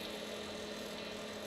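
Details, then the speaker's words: Squier Jaguar with two single-coil pickups and poor factory shielding: steady low mains-type buzz with bright overtones that drops a lot when the strings or hardware are touched, a screw possibly missing; suspected ground fault causing hum. "he touched the strings and the ground noise went away."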